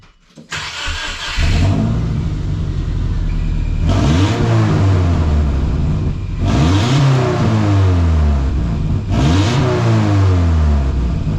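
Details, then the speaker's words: Subaru with an exhaust upgrade, recorded at the tailpipe: engine fires up and blips the throttle three times with a raw, puffing note from exhaust leaks at joints not yet fully sealed. "so now that it's fired up and running you can hear that I have some exhaust leaks there that's not great but it's still better than what it was"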